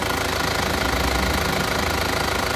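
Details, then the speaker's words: Isuzu Panther diesel after engine rebuild for blow-by smoke (pistons, rings, one liner, valve seals, seals, hoses, mounts, fan belt replaced): steady even idle with light injector clatter, no smoke; normal idle. "Mari kita hidupkan mobil ini. Bagaimanakah suaranya? Untuk suara mesinnya seperti ini."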